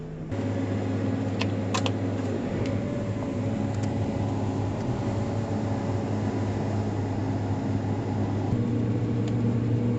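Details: Combine rotor after loose flat iron was cut out of the cone, test run before reassembly: steady, even low hum with no knocks, bangs or scraping; runs smooth, good to go.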